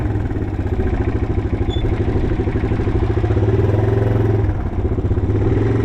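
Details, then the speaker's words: 1987 Yamaha TW200 single-cylinder trail bike on its test ride after a no-start repair, pulling in gear: loud, sharp chuffing rasp on each firing pulse from an exhaust leak, though it runs great. "The exhaust is a little bit annoying, so I don't really want to ride around the neighborhood too much. Need to get that taken care of right there because it it is annoying, but it runs great."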